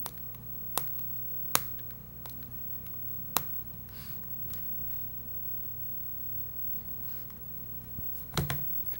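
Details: Nexus 7 tablet pressed: sharp irregular clicks and pops as the screen seems to pop against the frame on the left side; seemingly a common design issue.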